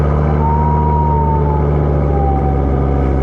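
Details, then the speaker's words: 2007 Volvo XC70 five-cylinder turbo, lifted, cold start: low, steady idle with an even beat and no knocks or ticks, faint siren in the background; engine healthy, no issues in that department. "can't really hear it from just a cold start but this car has a 5-cylinder turbo which is pretty much the whole reason I bought this car and it just doesn't really have any issues in that department at least"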